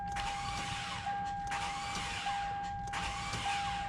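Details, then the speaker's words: Toyota Sienna with recently replaced starter, not starting again: high, steady whine as starter spins freely on each try without turning the engine; solenoid not engaging the drive, starter solenoid faulty. "you hear that starter working just fine but it's not engaging so that solenoid is not working"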